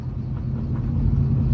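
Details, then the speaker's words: Procharged Dodge Charger RT that sat for years, running again after a crankshaft position sensor install and driving badly: a deep, steady rumble while driving that grows slightly. The owner suspects bad wheel bearings or possibly a tire; the shocks are also worn. "I think the wheel bearings are bad [Music] but bro I might go put a [ __ ] tire I mean Aaron is tired oh that sounds really bad"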